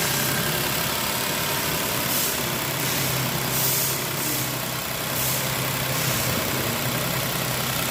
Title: Toyota Corolla Cross Abnormal Engine Noise